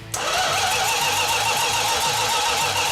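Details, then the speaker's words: 1969½ Dodge Super Bee 440 Six Pack after about 40 years idle: steady starter whir with even compression pulses, no start despite fuel and spark. A fuel leak came from mismatched fuel-line sizes to the remote tank. "Had plenty of fuel. I know it had spark, but it wouldn't fire. First thing that happened is we found out we had two different size fuel lines, one from the engine to the remote fuel tank."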